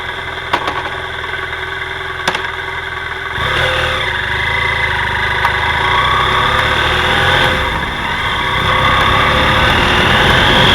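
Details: BMW F 800 GS engine after it fires up: a dull knock repeats about two to three times a second through the idle. Source unknown: engine knocking.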